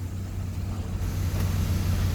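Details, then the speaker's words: Proton Waja auto 1.6L 4G18 after TPS readjusted, warming up: low, steady idle with no hunting or surging; normal. "Sekarang ni kita start dulu. Alright. Cantik macam biasa."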